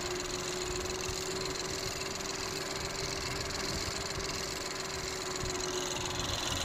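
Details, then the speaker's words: Ford Focus 1.0 EcoBoost after an engine rebuild (new pistons after piston 3 damage, new crankshaft bearings): steady, smooth, even idle with no knock, sounding normal; the turbo still has shaft damage from earlier low oil pressure. "يعني صار صوت المحرك طبيعي. طبعا هلا المحرك شغال، ما في صوت"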